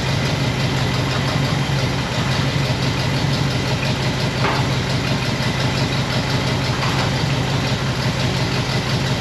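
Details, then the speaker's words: 1960 Pontiac Bonneville V8 with AFB carb: steady but uneven lumpy idle with fluttery exhaust; running pretty rich with points dwell extremely high, set off the six-cylinder scale instead of the eight-cylinder one. "all right i figured it out it was i had the dwell way up i was going down i should have been going up"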